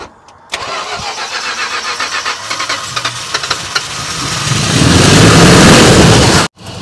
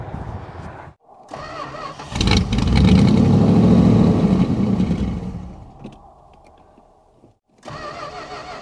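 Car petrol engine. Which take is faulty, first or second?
second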